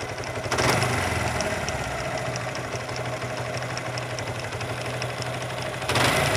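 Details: Suzuki Gixxer motorcycle engine idles with a sharp, regular metallic clatter about three to four ticks a second; owner suspects a broken bearing or parts touching, engine to be opened.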